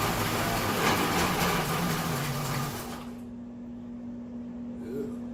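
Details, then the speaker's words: Homemade twin-supercharger Grand Marquis, belt newly routed to the blowers, stock fuel pump, first spin at idle: loud rough roar pulsing with steady whine; the bracket plates flex and jump, need stiffening. "that sounds [Music] terrible definitely need to uh stiffen these up cuz this thing is just kind of jumping all over the place"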